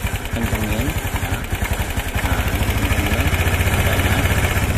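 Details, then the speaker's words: Single-cylinder motorcycle carburetor adjustment after service: uneven putter firming up and quickening as the mixture screw is turned with a screwdriver until idle is highest, before lowering the idle via the throttle screw. "akan meninggi terus ini pakai obeng ya di sini ada putaran ya teman-teman tinggal diputar sampai suaranya yang paling tinggi"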